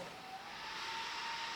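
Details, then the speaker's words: Titan TTC-SC60(B) caravan roof ventilation fan on its third setting: steady, even airy rush with a faint constant hum, no rattle or wobble; noise starts to become audible here but the fan is running normally. "so that's the third setting where you really do start to hear a little bit of noise there"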